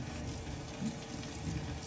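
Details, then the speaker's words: Maytag washer draining after repair of a drain issue and spin-cycle unbalance code: even rush of water over a low steady pump hum with no rattles or catches; normal drain. "All right. Everything appears to be working good. Sounds good."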